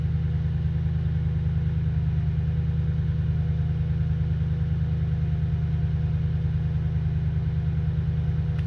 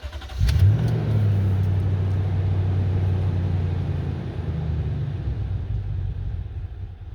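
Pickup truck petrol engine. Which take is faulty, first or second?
second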